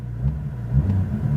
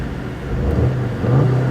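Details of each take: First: Copart salvage car with airbag damage showing a low engine coolant level warning: engine blips with a deep exhaust rumble but won't climb past a low rev ceiling, limited by the low-coolant warning. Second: Turbocharged four-cylinder manual car at an auction, revved from the driver's seat: it pulls up smoothly from idle and holds an even, steady drone with no knocks, rattles or misses. Sounds healthy.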